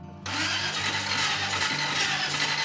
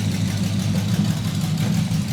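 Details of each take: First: Custom hot rod with exotic dual carburetors, first start after reassembly: sluggish, uneven starter churning, engine cranks slowly and won't fire; starter sounds funny; slow cranking, no start. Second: Custom hot rod with exotic dual carburetors on first fresh start, cranking slow, exhaust not fully fitted, needs tuning: deep, steady, even idle rumble with no misses or knocks; it settles right down to a smooth idle.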